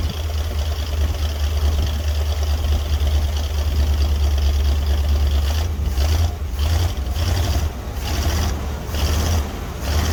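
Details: 1961 Dodge C800 ramp truck, 361 Chrysler big-block V8, cold start: heavy uneven idle, deep lumpy thump with clattery diesel-like edge; rough running, cause suspected, not confirmed.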